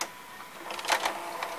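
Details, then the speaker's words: Sony SLV-760HF VHS VCR: short whirring and clicking from the tape mechanism with a few harsh rattles as it strains, but the cassette never comes out. Owner suspects something in the way or a broken carriage; it ejects only with the door held up. "know what's wrong with it I can't reject it at all something must be in the way um maybe something like carriages broken"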